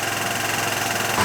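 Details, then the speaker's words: Derbi Boulevard 150 / Piaggio Leader 150 single-cylinder scooter idling indoors on an exhaust evacuation hose after an oil change and engine flush: ticks over quickly and evenly with light mechanical clatter, no knocks or misses, runs clean. "it's time to fire it up and uh let it run with a little bit with my new uh Evac system so I can keep the heat in here and uh see how she goes"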